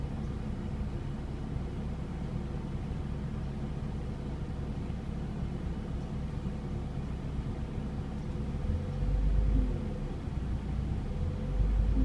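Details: Mazda MX-5 Miata NA6 just fitted with an ASI 52mm radiator, idling with A/C on: a quiet, uneven loping idle with surges until the A/C is switched off. The cause was an air bubble in the cooling system.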